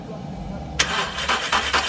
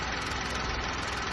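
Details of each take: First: 2013 VW Polo 1.2 with fault code P0341 on cold start: cranking pulses, then brief harsh metallic clatter settling into idle; stretched timing chain with failed guide and tensioner, nearly damaged valves, chain being replaced. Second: 2013 VW Polo 1.2 idling after timing chain, guides, tensioner and sprockets were replaced for fault code P0341 and startup chain noise: even steady idle, no rattle or slap from the front; the timing chain is quiet and healthy.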